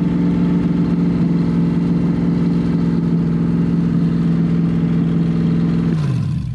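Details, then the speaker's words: C5 Corvette V8 drivetrain out of the car, unknown-condition engine, open headers, second start: loud, steady rumble holding an even beat, winding down cleanly at shutdown; owner says smooth, running on all eight. Normal running. "that was awesome that's exactly what i wanted to do it seems li"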